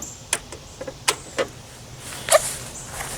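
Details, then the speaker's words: Riding lawn tractor that lost power and stumbled under heavy load: new carburetor fuel shut-off solenoid tested, sharp clicks as key turns on and plunger pulls in cleanly; normal solenoid operation, replacement fixed the fault. "So when I turn the key on, I should see that plunger drop in. Let's see if it works. Yeah, there it goes."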